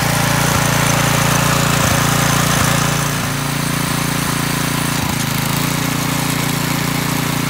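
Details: McClane 3.5hp edger with Briggs & Stratton engine, revived after years sitting with a carburetor tune-up, oil change and fresh fuel, started cold. A steady, even putter at fast idle with light blade-contact ticks while cutting. It holds speed cleanly and runs well.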